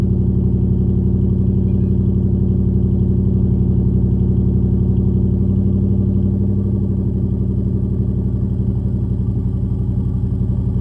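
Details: SN95 V8 idling after battery reinstall, running a Seafoam fuel treatment: low, slightly uneven lope with a faint dip in the beat partway through. Rough idle, better than before and started easier; owner hopes Seafoam cleans the injectors, cause unconfirmed.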